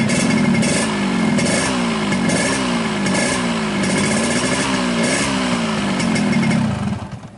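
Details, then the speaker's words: 2003 Yamaha RX-King two-stroke after new piston, fixing the earlier piston-slap rattle: crisp buzz with a couple of throttle blips, settling evenly with no rattle; engine runs smoothly again. "Kami sudah mengganti pistonnya dan suaranya kembali halus, teman-teman. Tidak ada suara berderak seperti kemarin."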